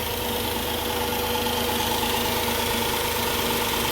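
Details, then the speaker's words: 2004 Chrysler Pacifica at idle after replacing the original alternator, which gave a humming, whirring noise while still charging: steady, even idle with a smooth hum and no whirring or whine from the front accessories; healthy. "Oh, nice and quiet now. Definitely not making that whirring noise that it was before."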